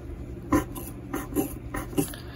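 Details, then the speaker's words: Fox DPX2 rear shock before IFP rebuild, each stroke gives a short wet squelch from aerated oil passing through a port, cavitation in the damper; IFP goes bad quickly. "sounds literally sounds like aerated oil passing through a port well it's aerated oil it's called cavitation and it happens on the dpx2 for no reason at all"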